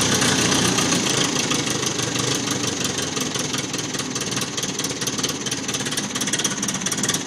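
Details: 1950 Ferguson TO-20 tractor, cold start after rebuilt Marvel Schebler carburettor with main jet adjusted, rebuilt 6 V generator, new plugs and settling bowl; still needs choke to start: fast, steady putter with even firing and no misses; normal idle.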